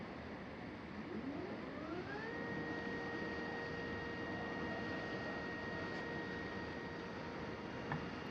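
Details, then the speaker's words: Astro-Physics Mach2 mount, right ascension axis after belt adjustment, tested without full load at 1800 go-to slew speed from park 1 to park 5: a clean whine ramps up then holds an even pitch, with no noise or vibration; healthy slew. "you'll note there's no noise this time no vibration"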